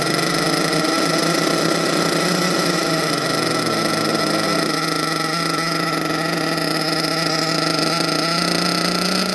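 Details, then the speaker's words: HPI Savage XL twin nitro monster truck, both brand-new engines, low-speed needles not yet adjusted: two small nitro motors buzz together at a steady high pitch with no beating between them; engines running in sync. "Well guys, as you can hear, that's how it sounds when two motors is in sync."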